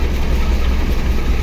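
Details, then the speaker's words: Car converted to run on gas (BBG, two-line system), idle only on the idle line: low rumble that wavers and pulses, rough lean idle, engine shaking and near stalling because the gas idle opening is set too small. "Nah dia juga bakal goyang teman-teman, malah mati ya. Jadi kita putar lagi, kira-kira segini. Kita coba starter, ini masih goyang."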